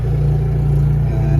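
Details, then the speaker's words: Generator started via Victron Cerbo GX, ramping up as the charger moves to bulk charging of EG4 batteries: steady, even low hum under charging load, no misses, knocks or hunting; sounds healthy. "the generator is ramping up and now the generator will just keep running and running and running because you've told it to basically manually start"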